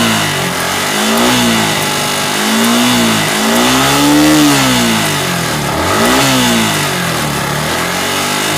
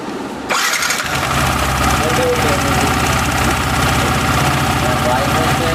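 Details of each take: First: Yamaha R15 V3 BS6 motorcycle, checked for valve clearance noise: revs climb and fall cleanly with even firing and no top-end clatter; healthy, normal revving. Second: Yamaha R15 V3 BS6 motorcycle engine catches and settles into a quick idle with a light, fast ticking riding over it, attributed to incorrect valve clearance.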